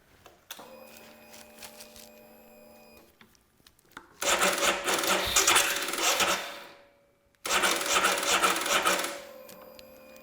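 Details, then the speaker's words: 411cc Royal Enfield Himalayan motocross build: two bursts of labored starter whirring, about two seconds each, with no firing while testing whether the side-stand switch needs bypassing; slow cranking from a flat battery. "got a flat battery."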